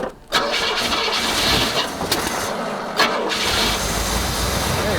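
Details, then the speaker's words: Abandoned 1975 Cadillac limousine V8 started after fitting a fresh air filter; short crank, catches right away and settles into a smooth, even idle — normal engine start. "There, it'll fire it up after we do this. It runs really good. Little baby engine."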